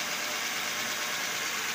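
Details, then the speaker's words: Toyota engine idling evenly with smooth hum and no squeal, chirp or knock after repacking the dry bearing and resetting the thin fan belt that caused noise on first start. "So wala ng tumutunog guys. Yan wala ng tumutunog. Nikita ninyo, papansininyo naririnig ninyo, wala na siyang tumutunog."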